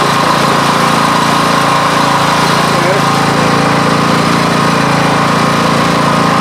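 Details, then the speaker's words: Coleman Powermate 6250 generator, Subaru single-cylinder engine, under roughly 400W load: loud, laboured low drone. The misadjusted governor let output drop to 100V/47Hz from 121V/66Hz, so the engine bogs under load. "i guess that governor was the wrong thing to do they dropped it all the way down to 100 volts and uh 47 hertz so uh that was not a good idea"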